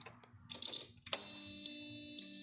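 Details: Cummins-powered bus chassis exposed to the elements about three years; a jumper restores battery power to the fuse panel and ECM; a high, steady dash warning buzzer cuts in abruptly and holds, dipping once.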